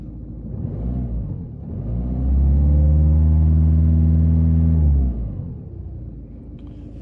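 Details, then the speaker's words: Citroën C3 Picasso with an injection problem but no fault codes, warm engine, read with a Launch X431 scanner: revs climb to a held 2,000–3,000 rpm and drop back with a faintly uneven beat. Large correction on cylinder 2; it ran smoothly when cold. Misfire suspected, unconfirmed. "ça y est là ça tourne pas rond donc je vois le cylindre 2 il y a une grosse correction [Musique] j'accélère ça tourne pas très rond comparé au début quand c'était à FRUD ça tourner rond"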